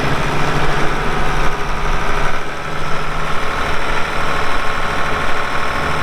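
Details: 1979 International 986 2WD cab tractor diesel, about 3,200 estimated hours (meter reads 2,321, not working), light use on ~50 acres: deep steady rumble with even beat, no knocks or misses; runs great, smooth normal idle.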